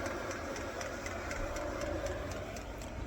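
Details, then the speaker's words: HCALORY 8kW diesel heater on maximum, about a minute after first start, heard at the exhaust: steady rapid chuffing, about four even pulses a second over a low rumble; running normally with some smoke, strong heat. "But the heat that's coming out of that is, I'm going to be sweating in there. But that's on the maximum at the min"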